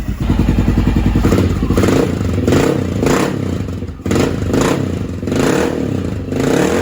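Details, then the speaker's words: Honda XR650L with a newly fitted Mikuni TM40 40mm pumper carb, started on choke: slow, lumpy thumping that sags and surges about every second, almost stumbling; the idle speed is set too low and needs raising. "So I think I may have to idle it up though. It's the one thing I've noticed. I'll have to get under here and idle that up a little bit. This is definitely too low and idle."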